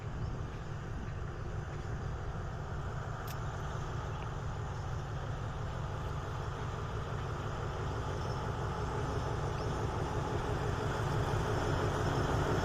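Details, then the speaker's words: Alstom locomotive 4404, re-engined with a new MTU diesel replacing the original engine in the old body, pulling train 234 (Surin–Bangkok) with six cars out of Nakhon Ratchasima; deep, steady, even rumble without knocks, normal healthy running. "เป็นเครื่องยนต์mtuนะครับหัวรถจักรคันนี้นะครับเป็นเครื่องยนต์mtuนะฮะเป็นเครื่องยนต์ใหม่ซึ่งเปลี่ยนจากเครื่องยนต์คือสตินะฮะ"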